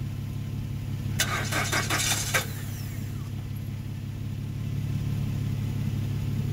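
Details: 2013 Nissan Rogue, push-button start: steady low droning crank with a few early clicks, never fires. Crank no start; scanner can't read the ECM (not communicating); battery later found at 2V. Owner unsure, guessed oil or camshaft.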